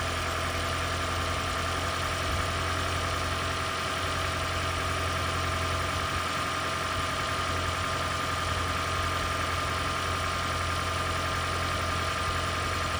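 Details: Toyota/Lexus hybrid (CT200h/Prius) engine with the EGR valve closed all the way: a steady, even idle with a constant low drone and a faint high tone, no misses or knocks. It runs smoothly, though it reportedly won't pass emissions this way.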